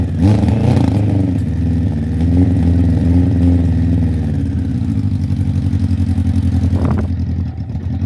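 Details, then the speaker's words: Suzuki Bandit 1200 SK4 four-cylinder after carb cleaning, fuel in tank, not yet warmed up: idles unevenly, then stumbles and lags when the throttle opens; still bogging on acceleration, cause uncertain, to be retested warm. "unfortunately guys it still seems to be bogging down when you try and accelerate we're going to heat it up and see what happens"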